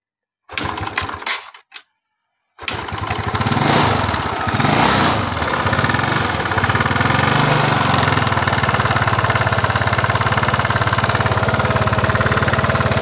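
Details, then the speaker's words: Yamaha Mio Sporty scooter: after a couple of cranks catches into a harsh, clattering idle with coarse top-end rattle that gets louder as throttle opens. "Jadi seperti itu, semakin ditarik tuas gas semakin mengeluarkan suara kasar di motor Mio Sporty ini."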